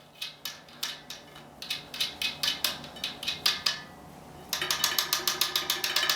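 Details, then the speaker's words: Bicycle wheel with a deliberately loosened quick-release skewer: bright, irregular ticking and rattling as the wheel moves. The skewer washer rattles while riding; the fix is tightening the quick-release cap. "gonna happen when you ride this Volvo washer there's a washer right there they'll be making the noises all the time"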